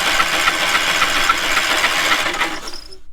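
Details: Trailer-mounted cherry picker man lift engine, given away in rough shape with water found in the intake and cylinder, kill wire cut: steady, even cranking about three to four turns a second, spinning freely but never catching; cranks, won't fire.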